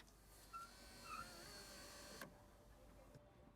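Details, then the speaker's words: VW Golf Cabriolet (2012+) power window: the motor hums as the glass travels, with short high squeaks where plastic trim sections rub on metal. DW40 is sprayed on the plastic-to-metal contact points. "so the first layer of dw40 didn't really do too much because i was spraying the wrong section but this is literally a squeak that i was trying to get rid of"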